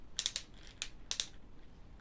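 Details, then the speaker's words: Thermomix TM5/TM6 lid-lock mechanism, worked with a screwdriver through the service hole: sharp, uneven clicking and ratcheting, meaning the gear is damaged and skipping teeth (linked to errors C148/C150). "Wystarczy właśnie przez ten otworek serwisowy włożyć ten nasz wspaniały śrubokręt i on tak terkocze."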